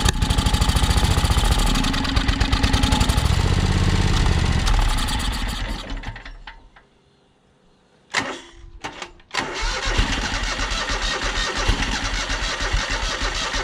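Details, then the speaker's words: John Deere X485 mower project: engine catches, runs rough a few seconds and dies, then weak cranking bursts from a nearly dead battery; owner suspects fuel starvation, possibly related to air pressure, not confirmed. "i guess my battery's about dead but that's a good sign so sounds like it's definitely um sounds like it's starving for fuel"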